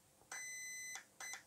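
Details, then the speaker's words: RC car speed controller, low-voltage cutoff item (item three) selected by holding the program button: one long high beep then one short beep. This reports the current setting as six, a 3.4-volt cutoff. "okay so that means that's at six which is what we set previously which was 3.4 volts"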